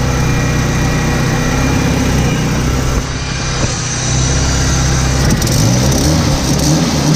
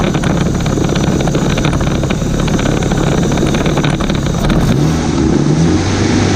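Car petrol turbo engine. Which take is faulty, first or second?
first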